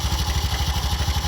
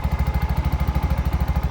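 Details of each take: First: Bajaj BS6 auto, noisy since another mechanic fitted a timing chain: steady idle thump about ten a second with constant metallic rattle and hiss; worn timing chain rubbing and touching, holing the case so oil leaks out. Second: Bajaj BS6 after timing chain repair: even steady idle thump with no ticking or rattle; timing chain and top end quiet, smooth and silent, much different from before the repair.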